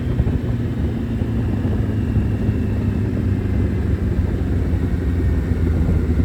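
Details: Suzuki Hayabusa with fully built motor and wild cams, after cleaning clogged fuel filter: deep steady roar now revs cleanly all the way through toward 11,000 rpm without stumble or cut-out, where before it stopped at 7–8,000; warm day, low fuel.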